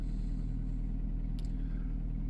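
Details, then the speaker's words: Car not started for a year, coolant somewhat low: steady, even low rumble at idle with no knocks or misses; engine runs surprisingly well and sounds healthy. "ja er läuft erstaunlich gut für ein jahr ich bin begeistert"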